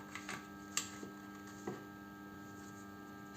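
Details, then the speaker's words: BMW E60 with battery drain, ignition off, terminal 15 fault codes 29AF and 299D, water-damaged IBS battery sensor: steady low electrical hum with faint ticks; idle control valve stays energized and hot. "y la del ruido parece que es la válvula de relentín"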